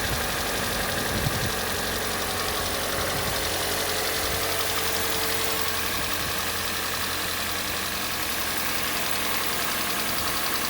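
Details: Hyundai/Kia G4NA engine at cold idle: light, fast, uneven ticking knock over a hissy background that fades as the engine warms; cause unknown, owner is seeking advice.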